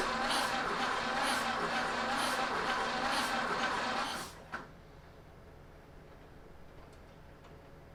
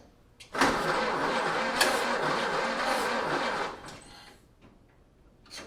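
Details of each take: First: 1930 Ford Model A four-cylinder after sitting seven years, after re-timing the ignition: runs at a steady even rhythm about four seconds then shuts down, no misses or popping; finally started. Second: 1930 Ford Model A four-cylinder, first start attempt after sitting seven years: steady cranking about four turns a second for three seconds, never fires; ignition timing was found one spark plug off, so it was never going to start.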